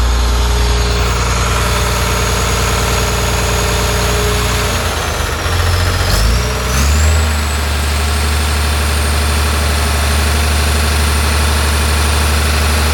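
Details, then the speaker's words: John Deere 850J dozer diesel, after second rebuild to fix a slight tick: deep, steady idle with even beat, brief dip, then smooth; good oil pressure, no leaks, sounds much better. "all right try again it sounds better I can hear it already got a good oil pressure sounds a lot better"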